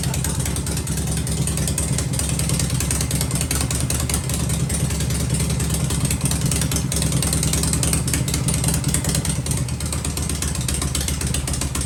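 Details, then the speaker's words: Harley Shovelhead V-twin at idle with pipes covered after spark plug indexing work: steady, deep, loping idle, quiet up top with no ticking or rattling; healthy engine. "cover the pipes up like that and you can you can hear if anything's ticking or rattling holy C she's just as quiet as can be right ain't that something"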